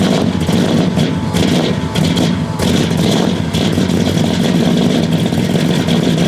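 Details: 1969 Buick Special Deluxe, 430 big-block V8 with big cam, first start after sitting over a year; loping unevenly with lumpy stumbling pulses and rev dips, running super rich because the choke was left mechanically closed all the way.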